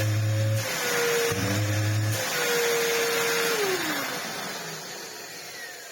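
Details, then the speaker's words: Samsung SU-2911 Jet Propel Light bagless vacuum cleaner, after cleaning the dirty filter: rushing motor airflow with wavering mid-pitched tone and low hum bursts winding down; abnormal noise coming from the motor itself, cause unclear. "okay well that's mildly annoying cuz that weird sound is actually coming from the motor"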